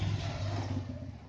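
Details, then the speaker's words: New air cooler fan winding down after switch-off: deep pulsing thrum and thar-thar shudder, cooler shaking in place; blade always stops at the same spot, showing an unbalanced blade causing vibration. "ये देखिए कैसे आवाज़ कर रहा है और कैसे थर थर थर थर कर रहा है।"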